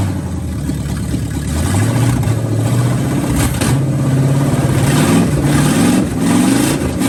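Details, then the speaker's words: Mid-1970s Canadian military Chevy 1-ton gas V8 truck pulled from a field, running on a salvaged carburetor with the fuel pump fed from the battery: steady even idle, clean rev and smooth return; running well. "Brandon's truck here seemed to be running good. We ran it for a few minutes."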